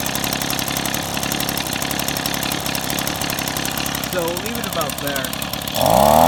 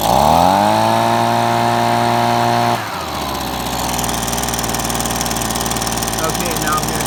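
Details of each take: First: Two-stroke engine during idle screw adjustment, turned left to slow idle then back up slightly to avoid stalling: steady, quick popping idle that holds without hunting or dying. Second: Two-stroke engine, idle screw turned to the left: high steady buzz drops to a slow, lumpy idle with loose firing; idle speed set too low.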